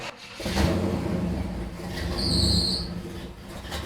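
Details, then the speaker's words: 1959 Pontiac V8 at startup in park: catches and rumbles, then a high steady belt squeal for about half a second. A bad misfire is still present, which the owner suspects is the carburetor. "Easy on the belt squeal, girl."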